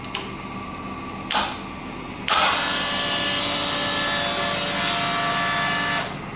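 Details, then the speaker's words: Rebuilt turbo Ducati 998 land-speed bike, first power-up before its first engine run: a short whir, then a steady even hiss and hum for about four seconds as fuel circulates and returns to the tank. This is healthy fuel pump priming. "fuel pressure going around the system. We can hear fuel returning to the tank."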